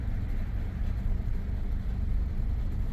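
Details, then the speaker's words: 2014 Nissan Altima, engine at operating temperature, center variable valve timing solenoid suspected (engine had died before), transmission not thought at fault: deep wavering lumpy rumble, RPM wonky; rough idle, cause suspected, not confirmed. "I want to see if disconnecting it possibly changes anything cuz right now it's lumpy and rough and everything else"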